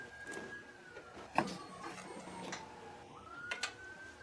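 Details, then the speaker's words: 1996 Ford Ranger after fuel pump assembly and filler neck replacement, key cycled on: short electric whine that dips, then rises and holds a couple of seconds; new fuel pump priming normally. "And we did turn on for a brief moment. Alright. So I'm okay with that."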